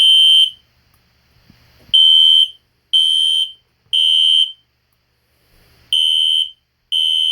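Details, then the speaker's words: System Sensor Spectralert Classic P121575 horn set to temporal code 3 on high volume: loud high-pitched blasts in groups of three then a pause, repeating; correct temporal-three pattern working normally, very loud. "um that was pretty cool but that is very loud but high volume is really loud"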